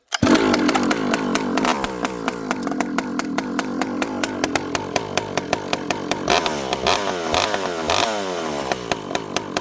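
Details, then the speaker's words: Rebuilt ported 064 saw whose low jet previously wouldn't tune, fitted with a new carb, warming up after a dry start with slightly slow idle: even crisp idle pulses, clean blips returning to idle quickly and consistently; healthy. "Notice it goes back down to idle very consistently, very quickly. It idles nicely."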